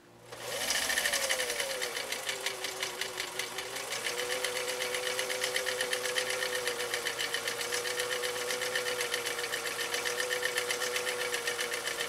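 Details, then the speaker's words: 1955 Husqvarna Viking Type 21 Class 20 sewing machine (1.5 amp), restored, sewing a three-point decorative stitch, no music: quick even clatter about four stitches a second, steady, no knocks or binding; normal running. "i'm gonna leave the music off this time so that you can really hear this machine kind of doing its thing doing its dance as we go through this material"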